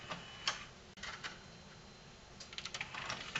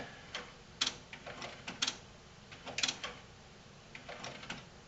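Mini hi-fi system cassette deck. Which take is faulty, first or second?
second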